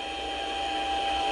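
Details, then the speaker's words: Mini lathe cutting a 5/16" radius on the end of 1018 steel rod with a spring form tool holder; thin, steady high-pitched ring over the motor hum, a little tool chatter from easing off the feed. "I hear little chatter not much"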